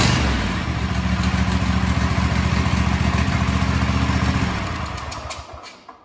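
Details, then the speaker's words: Kohler KT735 24 hp twin-cylinder engine (7000 series) on a Cub Cadet SLX50 mower thumps steadily, then a swishing leak sound at shutdown; blown head gasket suspected, or possibly exhaust. "okay right at the end that swishing sound sounds like a leak right at the end"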